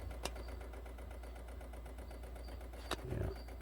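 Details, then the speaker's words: 2007 Pontiac Solstice with code P0442: duty-cycled EVAP purge solenoid at the back of the intake manifold, commanded on with the hood open, gives fast, light, even ticking; it is cycling normally. "let's try the purge solenoid now that one's duty cycled so that one will make a rapid clicking noise when we command it on um i don't hear it i'll go open the hood now i can hear it clicking over here"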